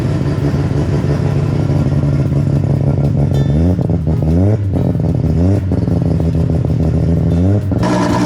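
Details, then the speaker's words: 1JZ newly swapped into a Mark II, first start with no intercooler yet and some things not hooked up: it catches and holds a slightly lumpy idle with rev blips, hitting all 6 cylinders. Rough running; some smoke, and a fitting was found not fully tight. "We fired up the Jay-Z for the first time and we got to hear it. It was a bit rough, but that's to be expected."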